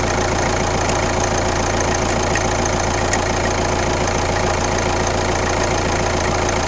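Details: Kia Ceed 1.6 CRDI D4FB diesel, 115 km, at idle: uneven tapping about three times a second over steady idle; weird engine noise, cause unconfirmed.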